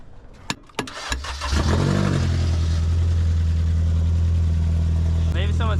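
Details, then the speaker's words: Car that sat unused about 6 months with a no-start, starter clicking until tapped; engine then catches and drones loud, deep and unmuffled because the catalytic converter was stolen, leaving the exhaust open. "your cat conver off oh my God I'll check and see cuz they stole the catalytic converter man"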